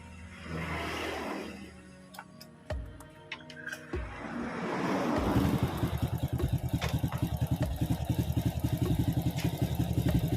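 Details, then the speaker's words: Honda Supra X (C series) after reassembly and fresh engine oil: it starts and settles into a smooth, even idle with no top-end ticking. The tensioner had not been pre-filled with oil. "Suaranya termasuk langsung halus Kang Bro."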